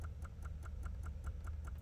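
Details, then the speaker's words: Inside a BMW E93 (titled 528i, rough idle): sharp, even clicks about five per second over a low hum, stopping and restarting; battery too weak to pop the trunk, relay chatter from low battery suspected; repeated clicking. "all right here we are inside the bmw the e93 why is it clicking can you hear that"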